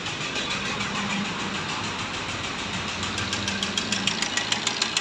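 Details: Maruti Ertiga diesel at idle: a sharp, regular knock about three per second above the diesel clatter; crankshaft noise suspected, not confirmed.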